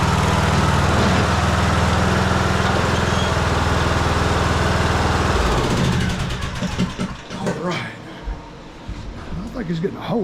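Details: Troy-Bilt Bronco 42-inch riding mower after blade deck belt replacement: steady fast putter about four beats a second, then dies off; muffler sounds funny, maybe a hole, suspected not confirmed.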